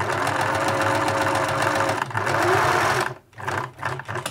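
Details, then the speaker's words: 1980s Singer Futura sewing machine (model 1000, 1100 or 2002), untested collection unit being assessed for drive faults: after a bit of oil it runs at an even stitching rate, then slows in short bursts, with no grinding; judged a good runner despite earlier noise. "yeah but yeah good a good runner i would say"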